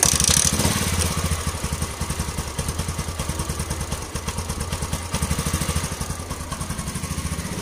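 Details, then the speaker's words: Yamaha LC135 after replacing its loose timing chain, with coolant and oil refilled: the small single idles steadily with even exhaust pulses. The rough top-end chain noise is gone; normal idle. "oke Guys Ah nih kondisi jin dan kamu sudah dengar tadi suara gini aja mana selepas kita tukar Tencent bunyi kasar ta itu sudah hilang penyebab rantai sudah kendur"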